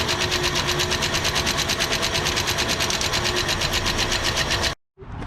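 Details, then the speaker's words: 1967 Ford Galaxie 500, 289 V8, first start after top-end rebuild with rockers not yet individually set: fast, even clatter of loose rockers ticking over idle, about three clicks a second; valve lash needs adjusting. "Alvin and the chatter. I think it's got a little valve noise."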